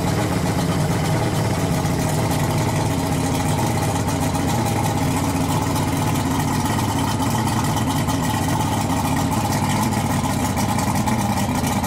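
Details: Yamaha V6 225 outboard converted to run on LPG (two gas converters, gas mixing plate) idles with a steady, even low hum, no knocks, misses or hunting; owner notes some power loss since conversion, but idle is normal.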